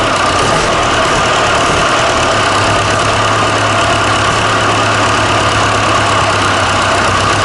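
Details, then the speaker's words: Fordson Super Major tractor diesel after fitting a new engine with new filters, hoses, fan belt, battery leads and starter solenoid switch. Steady, even idle with a smooth regular beat and no knocks or misses. It picked straight up and runs healthy. "yeah that was good though wouldn't it yeah that sounded nice and it picked straight up"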